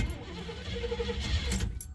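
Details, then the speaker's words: Oldsmobile after an intake manifold update, warm day, one pedal pump, struggling noisy starter: low cranking rumble that fires a couple of times, then dies; owner suspects not enough fuel reaching the carb and plans a fuel pump. "i think it's not getting enough fuel because giving it more gas wouldn't cause it to uh fire off a couple times like that"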